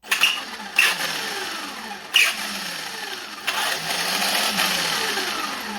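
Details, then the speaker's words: Traxxas Slash brushless RC car: harsh screeching barks on every hard start or hard braking over rising and falling motor whine; slipper clutch and differentials first suspected, but the rotor magnet was loose and slipping on the motor shaft. "I thought it was the slipper clutch super bad maybe or differentials oh it's a terrible noise just screeching barking um"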